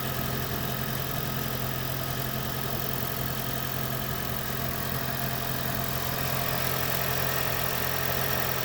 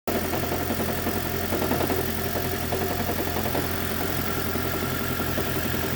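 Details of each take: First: 2010 Toyota Prius petrol engine after its knocking and rattling was fixed, now idling smoothly and steadily with an even low hum, no knocking or rattling. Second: Toyota prius 2010 engine knocking and rattling fixed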